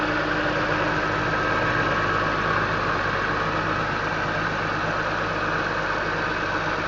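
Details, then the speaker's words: 2001 BMW M3 straight-six with over 200,000 km, cold start after a week sitting, heard under the hood: steady quiet purr with no Vanos ticking or hunting; valve clearances were within spec at last inspection. "It's very quiet. So this is underneath the hood, the car is on. It's very quiet. It just purrs. Again, this is a cold start. You can't hear any ticking from the Vanos."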